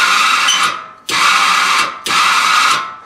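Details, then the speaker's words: Demolition derby car, newly built empty fuel tank with just-installed sending unit and pump: three harsh buzzing whines about a second each with rough edge; pump strained running dry, may change once fuel added. "I built this fuel tank there about a week ago I just put this sending unit in it today but I don't think it sounds that good"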